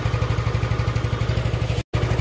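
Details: Yamaha Nouvo Z scooter with replacement regulator/rectifier (kiprok), idling: even steady single-cylinder thump, no misses or knocks; kiprok not overheating.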